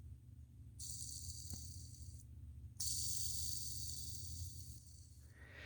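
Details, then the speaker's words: Rainbow R-2800C power nozzle brush roll bearing, possibly a 608, spun by hand; dry gritty rasp and hiss fading as it slows; bearing completely gone, to be removed with a bearing puller; worn ball bearing. "want to know what that looks like yeah that bearing is completely gone and this is just a sleeve fit"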